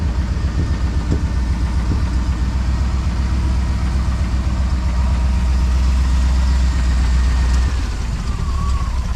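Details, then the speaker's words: 454 big-block V8 swapped into a Honda Civic, warm with the temperature gauge nearing 230 after a new clutch: holds a steady, elevated idle with a deep, even rumble that never settles down. The choke won't shut off and may need adjusting. "I don't know why this choke won't shut off. We'll probably have to do some adjusting on her."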